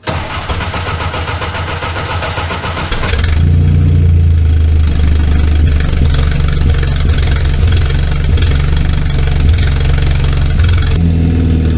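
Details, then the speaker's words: 1964 Jeep CJ5 barn find, before muffler replacement: engine cranks, catches and settles into a loud, deep, raw rumbling idle with little damping from a blown-out muffler. "we're going to replace this one because it is blown out so for some good comparison of before and after I'm going to fire it up now let you guys hear it"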